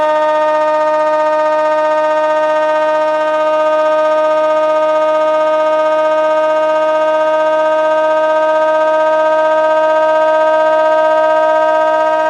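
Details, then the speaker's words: Old Bedini-style ten-coil pulse motor, resistance about 1.5k then adjusted so it speeds up while charging the battery at maybe three amps: steady, even whine with a clean musical ring as the rotor spins up; running normally. "now I just turned it it's going to speed up so you can see it is charging so maybe three amps here"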